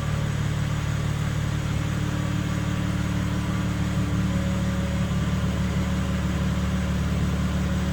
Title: 2nd Video BMW M3 Humming sound